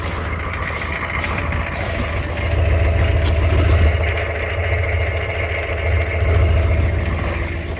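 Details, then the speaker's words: Truck started at -35°C: a deep, even idle with a slight slow rise and fall in loudness, no knocks or misses; normal cold idle. "Let's fire up the old wood weasel here. Oh, sorry, there we go. Don't you love that sound? It's -35."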